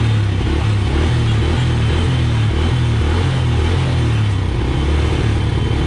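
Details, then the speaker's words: Honda Wave that would not start despite fuel, spark and compression, after petrol was poured into the spark plug hole; small single ticks over with a steady low putter, no misses or knocks; starts easily and idles normally. "so Ayan mga boss ano umaandar na siya at madali na siyang paandarin"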